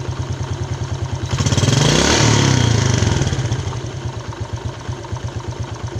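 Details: Yamaha Jupiter Z Robot with uneven, chattering idle at about three beats a second, one quick throttle blip then back to the same harsh idle; rough engine noise, cause under analysis (one-way clutch swapped for a Vega ZR part).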